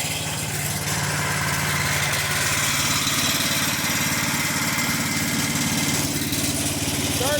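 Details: 1995 Yard Man 8 hp chipper shredder after a repair for low compression (valve issue suspected), compression up from 48 to 68 psi: the single-cylinder engine holds a steady, even beat with no misses or knocks, running cleanly.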